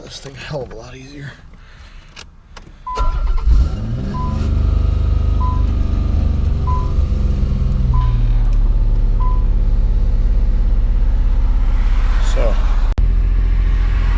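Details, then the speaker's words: Nissan Z, cold start after fuel line work: short crank with chime beeps, then a quick catch into a steady fast cold idle around 1800 rpm with even low rumble; starts better than before, clean. "better startup than what we originally had idols looking pretty study cold around 1800 which is probably about right"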